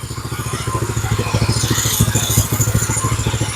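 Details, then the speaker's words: Go-kart small single-cylinder engine after raising idle screw: steady thumping at low idle about 160 beats a minute, slightly uneven but holding; normal idle. "now she's idling but yeah she's idling so low there's no way she's going to keep running there we go that feels better now she's creeping a little bit so I'll turn it down"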